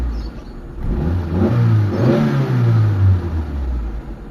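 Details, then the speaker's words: Mitsubishi Lancer "pizza" 4G13 petrol engine with hard starting, which stalls in neutral while driving; revved at start, the speed sags and the idle fades until it dies. Carburetor and vacuum line routing are to be checked. "ayan mga bossing. Ayan namatay mga boss. So yun 'yung problema nila sir kaya gustong-gusto nilang dalhin dito sa atin para mawala na yung problema nila."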